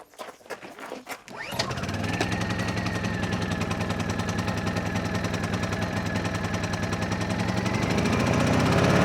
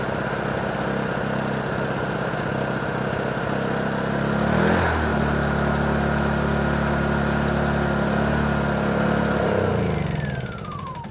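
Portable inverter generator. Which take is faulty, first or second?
second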